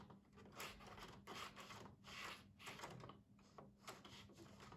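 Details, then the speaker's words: PS4 disc drive with slow disc intake and eject, tested after being taken apart and reassembled. Repeated whirring and rubbing bursts about every second as the mechanism cycles, but no disc loads. The mechanism seems stuck in the wrong position; cause unconfirmed. "it seems to think that there's something in there now so i don't know what way i don't know why it's stuck that way"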